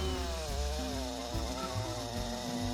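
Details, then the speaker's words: Chainsaw labouring in konara oak hardwood with over-filed depth gauges: a harsh, shaking rattle and an uneven cut as the cutters grab too deep; heavy vibration, and it barely cuts. "こんな感じでですね、ガタガタガタっと振動が大きくなってしまってなかなか切れないということになります。"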